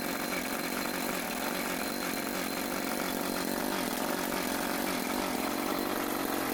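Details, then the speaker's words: Troy-Bilt TB554 lawn edger after drive belt replacement (35.75-inch belt): small engine at steady high speed, even drone with no belt-slip squeal or knocking; sounds healthy. "Okay, just gonna try and start it up."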